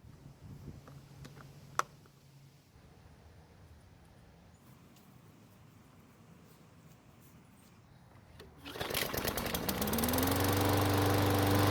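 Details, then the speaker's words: Old Craftsman mower that ran last year but would not start after winter storage, after servicing, priming and refitting the air filter: quiet until the engine catches, then a steady, even buzz without surging or misses; normal running. "luckily it started with no issues and it sounds fantastic now for being as old as it is"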